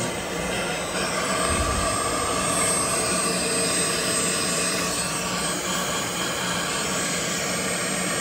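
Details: 2015 Chevy Equinox 2.4L with code P0411, secondary air pump commanded on after key cycle: steady whooshing blower roar with bright hiss; pump works normally, ports found clogged.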